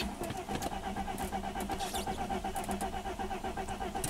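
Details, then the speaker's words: 1995 Mercedes-Benz E320 wagon, 285k miles, crank-no-start, owner reports no spark: even starter cranking about four beats a second with no cough or catch; engine turns over but won't fire. "so it could be a start stall but this one is not coughing at all so let's uh turn it on and crank it"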